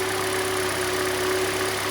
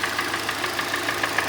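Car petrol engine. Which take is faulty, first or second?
second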